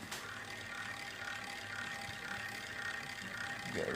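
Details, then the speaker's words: CEC Georgian ceiling fan with painted blades running: steady rough, ratchety grinding with a faint hum, a really bad worn bearing noise. "really bad bearing noise. And I don't know how to cure that."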